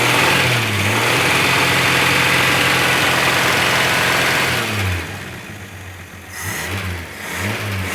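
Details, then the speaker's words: First start after head gasket, reconditioned head, water pump and hoses replaced: engine catches, revs up and settles to fairly steady idle, no knocks or rattles; running, nothing sounds terrible. "yeah it's all right it's running yeah it's running nothing sounds terrible"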